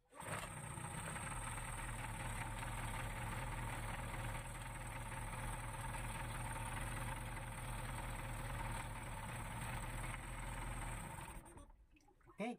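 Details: Yamaha 15 hp outboard after repair of rough running, restarted after reassembly with the starter cup refitted: even, steady low drone for about ten seconds without clatter or misses, then cut off; runs smoothly.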